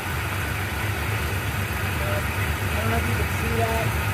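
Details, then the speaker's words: 1990 Mitsubishi Montero idling after a new coil: lumpy, stumbling idle with changing rhythm, misfiring because spark is not firing consistently per timing light; coil ruled out, cause still unknown. "Let's say still runs. Wouldn't say it runs good. not consistently spark."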